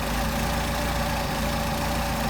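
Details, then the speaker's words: Mercedes 190SL engine with rebuilt Solex carbs, idling a little over 1,000 rpm: low uneven loping rough idle, too rich; still runs with idle mixture screws fully closed, opening them makes it worse. "And you can hear how rough it's running. It's running rough because it's too rich."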